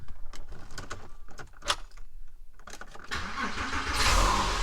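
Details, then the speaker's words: Porsche 911 (997) that wouldn't start with "Depress clutch pedal" error, after replacing the clutch pedal sensor switch: a few clicks, brief crank, catches at once and settles into an even healthy run; normal start. "yeah there it is I I hope this can help some of you at least very easy fix"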